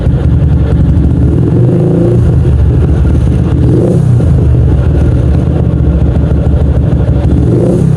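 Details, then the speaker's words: 2007 Yamaha Jupiter MX after tune-up: 57 mm Vixion-block bore-up, T28 camshaft, BRT dual-band CDI, porting, 28 mm header exhaust. Steady single-cylinder thump at idle of about 1000–1500 rpm with clean throttle blips rising and settling evenly; healthy. "Oke, kalau untuk RPM-nya sendiri berada di sekitar 1000 sampai 1500. Ini RPM ya."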